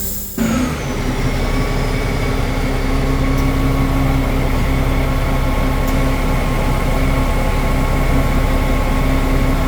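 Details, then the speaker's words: 2008 Navigator RV that settled on the driver's rear in leveling mode, diesel at high idle, manual mode lifting from flat: steady drone with smooth even air rush as airbags fill and lift; air suspension inflating normally. "right now we're pretty flat and O look at that adding some air to the system yeah now it's coming up that's an airbag is filling up along with that one right there"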